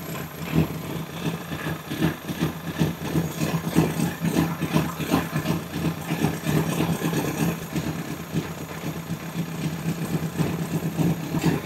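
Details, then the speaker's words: Honda CBR1000RR, lightly crashed, with suspected coolant in oil, idling during block (combustion leak) test: even, pulsing idle with light valvetrain chatter in background, no misses or knocks; fluid stays blue, motor sounds good. "that's that motor sounds really good uh I didn't hear anything crazy going on with it"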